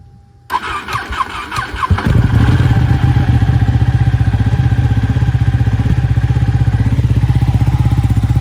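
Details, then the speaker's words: Ducati 1199 Panigale that struggled to crank when cold, after cleaning corroded starter solenoid terminals: a few quick cranks, then catches and settles into steady, even idle. Normal start and idle, fixed. "all right obviously does work so happy days"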